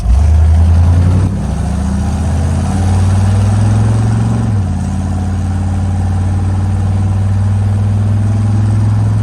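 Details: 1965 Chevrolet C10 V8 after fuel pressure regulator turned up (suspected fuel starvation): brief rev blip, then steady, even low rumble with no stumble or miss; runs way better, cleanly.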